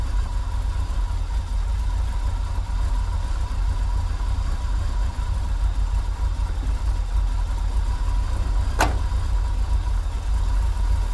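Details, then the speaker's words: 1980s Chevy K30 dually 4x4 dump truck, long parked, just restarted cold on old gas; low, slightly uneven idle with faint steady hum above, hunting a bit; rough cold idle. "little rough but it's still cold so let's give her a minute to warm up and see how she does"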